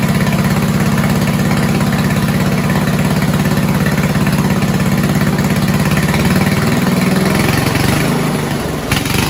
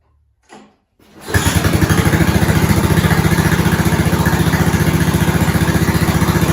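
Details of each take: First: 1970s Roper 1032 snowblower, probably 10 hp Tecumseh single-cylinder, on carb with fixed-jet bowl: uneven idle sagging and picking up, hunting; lean idle mixture. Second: 1970s snowblower rescued from scrap, small engine started on slow throttle with choke on, key on and a couple of primes, with a new fuel line. Short crank, then a steady, even chug of about four beats a second, a normal idle.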